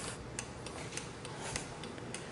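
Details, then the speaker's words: 2013-14 Kawasaki Ninja 300 with LED turn signals and Novita/Tridon EP34 flasher relay: crisp even ticking about three times a second, flasher working normally at correct rate. "now if you do not have the right flash relay this novita ep34 that you can hear ticking right now they probably will flash too fast"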